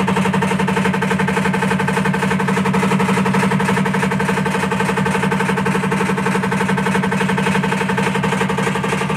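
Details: Washing machine (IFB top load) making a steady loud rattle repeating about four times a second over the motor hum; abnormal rhythmic rattling noise, cause unclear.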